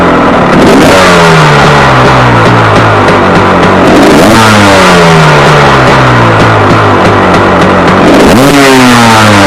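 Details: KTM 250 EXC two-stroke, warmed up, 50 pilot jet (60 wet the plug; both too rich rolling on): revs rise and fall with rapid string of bangs on every closed-throttle overrun; owner suspects lean overrun from an ignition-side crankshaft seal sucking air, unconfirmed.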